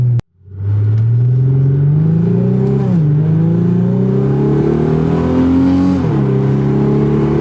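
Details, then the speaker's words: Infiniti G35 sedan, rear-wheel drive, VQ35, after a driveshaft fix cured a driveline vibration; pulling away and climbing through the gears with deep exhaust rumble, no rhythmic shake or drone, driveline smooth. "um but otherwise there's nothing that I would say is a problem and I would say the drive shaft fixed our issue"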